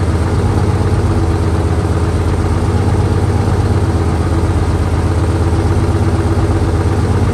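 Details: 1968 Dodge C500 truck on a cold day, started via jump from another truck and starting fluid: low, steady thrumming idle at an even beat, no knocks or misses; runs smoothly.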